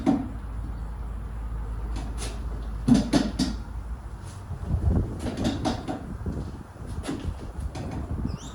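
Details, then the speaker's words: Car pushed out of gear in garage, days after first track day; scattered creaks and clicks from rear wheel, owner suspected hub or birdcage; cause was loose rear wheel nuts. "so just had another really close listen pretty sure it's coming from inside the wheel somewhere um yeah so Hub bird cage something in there"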